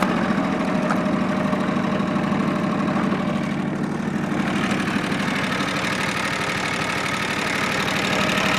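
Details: Late-model John Deere 445 garden tractor, 2500 hours, warm start on three-year-old gas: even, steady engine beat with light ticking over it, a bit of lifter noise; no exhaust smoke, doesn't burn oil, runs well.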